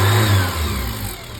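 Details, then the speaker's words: 1987 Dodge Ram 50 after sealing exhaust leak at the old air injection pipe with a quarter: engine revs and settles with smooth even exhaust note, no ticking or puffing, no leak. "If I don't hear an exhaust leak, let me see if I can feel one. Nope, absolutely nothing."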